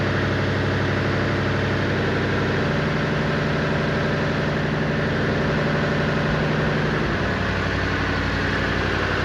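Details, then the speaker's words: 1959 Chevy Impala 348 V8, first start for cam break-in: lumpy idle with sharp puffing tick about three per second; bad passenger-side exhaust leak, owner suspects the donut gasket; to be tightened. "Got a bad exhaust leak on the passenger side. But that's probably that donut get in there. I hate those things."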